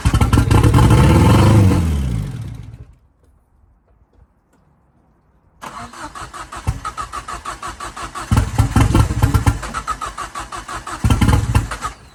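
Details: Ford Fiesta RS Turbo restoration, start attempt: starter churns at about three beats a second, pauses, cranks again, never catches; fuel pump primed but not enough fuel coming through. Cranking, no start.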